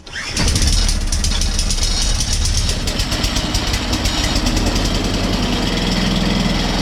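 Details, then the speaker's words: Atco Balmoral reel mower engine started and running steady with a fast dry chattering over it; chattering that needs sorting out. "as you can see that video there uh this is all all chattering okay which is no no no big drama but it will put people off if they go to buy it you know"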